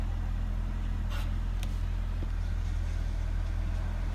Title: 2007 Nissan Altima Rough Idle at cold start